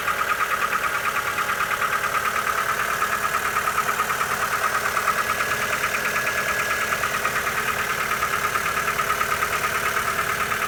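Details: Lancer 9 1.6 automatic at steady idle: light, fairly regular tapping about three times a second over the engine hum; knock of unknown origin.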